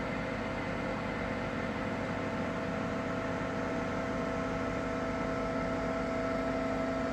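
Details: Ninja Foodi 8-in-1 running cold in this recording (owner says the unbearable noise comes after warming up): steady loud whirring hum with a constant whine on top; noisy fan, cause not yet known.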